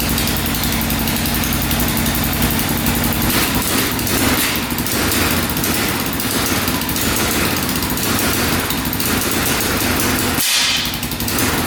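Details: 2004 Yamaha Raptor 660 single-cylinder quad, long unused, oil now full: raspy note stuttering and cutting in and out as if on a rev limiter, not revving out; owner suspects a safety switch.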